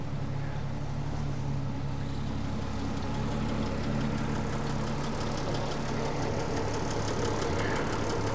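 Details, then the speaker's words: 1975 Triumph TR6 PI straight six with Lucas mechanical fuel injection, warm, before mixture adjustment: smooth, even purr and steady exhaust beat at idle, no knocks or misfires; normal idle. "now you can see when these are set up properly what a sweet engine this is um it's got a lovely Pur to it and the exhaust note is just beautiful"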